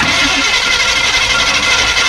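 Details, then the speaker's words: 1952 GMC 1-ton dually truck, just rescued, first cranking attempt: harsh, raspy, mostly high-pitched whirring clatter as the starter engages the flywheel; starter very noisy, owner suspects it needs to be shimmed. "oh okay boy that flywheel made a lot of noise didn't it when the starter engaged all right I'm going to roll it over a little bit more that starter is making a lot of noise sounds like it needs to be shimmed"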